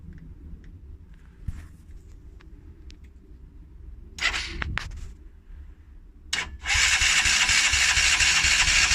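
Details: Polaris Outlaw 50cc quad, a non-runner after a carb overflow leak, carb cleaned and blocked pilot jet cleared: it failed to start without choke; now on choke it catches and buzzes fast and even with revs raised; normal start and idle.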